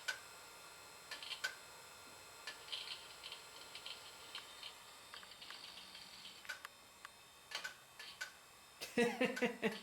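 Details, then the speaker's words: Digital PC 5000 Pentium II computer, Windows 98 era, cold: quiet, uneven dry ticks about twice a second over a faint hiss as the drive repeatedly retries; failing hard drive, possibly worsened by the cold, to be replaced. "yeah that hard drive is no good it might not like how cold it is that may be the issue but i'm gonna replace it anyway"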